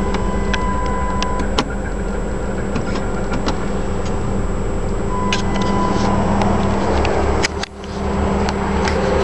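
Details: Chrysler 300M, hot at idle in gear after a 10-mile drive to near overheating: irregular sharp clanks every second or so, louder and more consistent than usual. Owner wonders whether it is lifter tick or a spun bearing.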